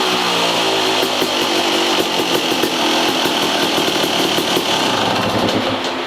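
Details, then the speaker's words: 2003 Yamaha YZ250 two-stroke, exhaust silencer repacked with $5 Home Depot fiberglass insulation, camera in the same position as the before test: crisp, buzzy revving with an even rasp and a fan whooshing behind; clean, healthy exhaust note, much better than before. "If you guys couldn't tell, that thing sounds a lot better than it did before. I'm super excited about it."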